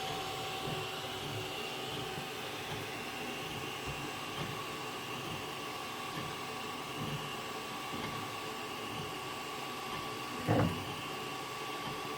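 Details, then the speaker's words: Zortrax M200 3D printer with 3505 print hours, at the start of a print: steady hum with one dull knock as the filament pulls around its spool, which is normal. A separate steady rattle is suspected to come from internal bearings. "And that's the filament pulling round, if you're wondering what that knock was."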